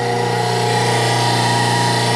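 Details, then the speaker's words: Cheap used hydraulic press pump motor, first power-up wired to 110 V on one leg via a converter, runs with a steady, even, clean hum with no knocks, surges or grinding; old fluid full and clean; normal running. "cette chose est belle et lisse aussi Je suis choqué, je pensais qu'il en faudrait beaucoup plus pour faire fonctionner ce truc et il fonctionne"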